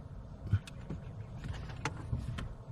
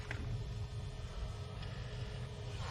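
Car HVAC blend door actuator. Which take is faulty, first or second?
first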